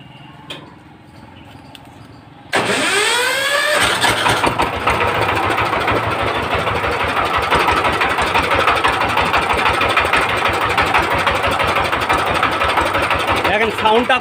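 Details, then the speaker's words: 20 hp direct-injection diesel engine after valve tappet clearance and nozzle adjustment: cranks, catches at once and settles into an even, steady chug about three beats a second; earlier drum-like knock and misfire gone. "দেখুন আগে যে একটা ঢোলের বাড়ি দেয়ার মত একটা শব্দ আসছিল সেই জিনিসটা আর নেই খুব সুন্দর জায়গায় চলে এসেছে"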